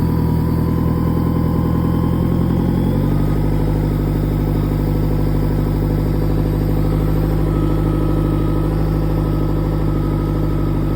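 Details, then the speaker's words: Yamaha F150 outboard after high pressure fuel pump in VST replaced, run briefly for leak check: settles from idle into a slightly faster steady smooth run, weak telltale stream; normal running. "Bon mais ça m'a pas l'air trop mal tout ça."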